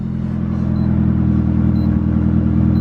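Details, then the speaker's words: Mitsubishi Evo after fitting intercooler piping and blow-off valve, restarted once the half-plugged mass airflow sensor was reseated and codes cleared: smooth, even low idle rumble, no misses; normal idle. "That sounds more like it."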